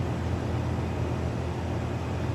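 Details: AC condenser restarted after the compressor read over 200 degrees (bad capacitor or motor suspected), ambient about 80°F: even low hum from compressor and fan, no rattles, squeals or clicks; normal running.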